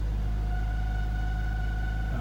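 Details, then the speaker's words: Volvo V70 six-cylinder at start-up after overheating from a coolant leak (coolant level very low, steam from exhaust): heavy rumble with a steady hum, idle uneven and shaky, vibration through the steering wheel, a cylinder not working properly. "I can feel it's running rough through this steering wheel it is vibrated a bit you can probably see that on the camera image the cylinders is not working properly this is a six cylinder engine so it's normally quite smooth"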